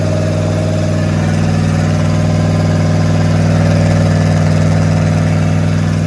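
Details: Rat rod small-block Chevy 350 V8 freshly fitted with a turbo cam, replacing the stock one, around cam break-in: strong, even lumpy idle near four pulses a second with a steady low drone, running clean; normal idle.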